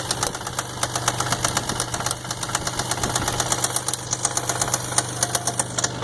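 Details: 1999 Isuzu engine at idle with a sharp, regular knock about two per second, pointing to bottom-end trouble; owner suspects worn main or rod bearings.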